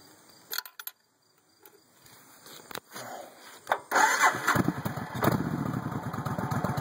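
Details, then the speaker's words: 1996 VS1400 V-twin motorcycle started cold with the idle turned up: the starter cranks, then it catches into a lumpy cold idle with occasional popping. "turn the idle up a little bit it's kind of cold a little bit of popping still there but idle there it is"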